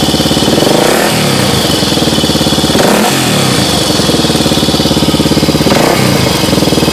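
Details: 1986 Honda ATC 350X single-cylinder ATV idling with a busy metallic clatter from a slack timing chain.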